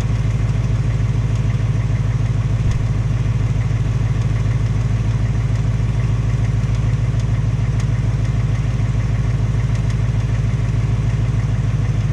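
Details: 2018 Mustang GT V8 on its second Ford-replaced engine at only 1,200 miles: steady idle with a light even tapping/knocking about three a second, same noise as the first engine; cause not confirmed.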